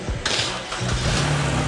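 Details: Dodge Charger/Challenger being jump-started after an EVAP leak hunt: the starter cranks briefly, the engine catches with a quick rev, then settles to a smooth, quiet, steady idle with no knocks. Normal start and idle.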